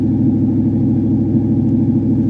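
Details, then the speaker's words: Modded SN95 Mustang GT converted from automatic to manual, check engine light on, overdrive light flashing: a steady, smooth exhaust rumble with no misses, but the idle sits too high at about 1,500 rpm. "The idle is way too high. The check engine light's on."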